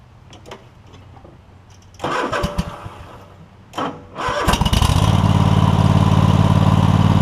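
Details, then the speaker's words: Free Cub Cadet GT1554 garden tractor, Kohler Courage V-twin, 330 hours, new battery: two short cranking bursts before it catches and settles into a steady, even idle; a little slow to start but nothing ridiculous, before new ignition coils and belts. "oh you got your arm rest and all it's a little slow to start but nothing ridiculous"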